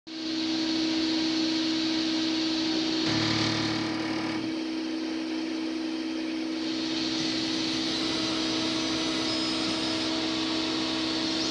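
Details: Versalaser laser engraver: on selecting start from the machine or control panel, a brief rough grinding burst over steady fan hum before the lens carriage travels to 0,0 and begins etching; each pass repeats it, etching drifts and becomes blurry after 2–3 passes.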